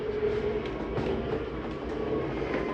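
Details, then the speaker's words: 2023 Jayfeather 30QB travel trailer slide-out retracting via the J-Command panel: steady motor drone with fast, even rattling clicks, and ratcheting at the end that is the mechanism signalling it is done. This is normal retraction. "And again, you hear the same noise. That's just the mechanism telling you that it's done."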